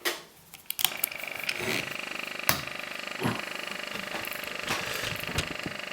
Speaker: that's the shutter running and that's it part if I'm running what's it off again so it's fully working